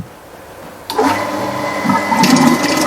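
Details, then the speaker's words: Shimizu water pump already full of water, needing no priming: silence, then pump kicks in and settles to an even hum with steady motor tone and rushing water, pumping quickly; normal running. "Yang kondisi seperti ini, kalau kita pompakan, maka air dengan cepat akan memompa."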